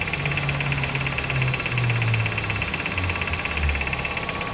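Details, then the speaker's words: Nissan Sentra at idle: steady hum with an uneven tapping about three times a second and a faint high ringing; pulley already replaced with a genuine Nissan part but the noise persists, cause unknown. "Cliente falou que já trocou a polia, gastou R$ 3.000 nessa polia original na Nissan. E o defeito ainda persiste, pessoal."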